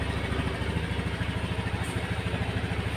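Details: Honda Scoopy eSP fuel-injected scooter started by jumpering the ignition wires after its key was lost: small single ticking over steadily at about 200 beats a minute, even and smooth, no knocks or misses; healthy idle.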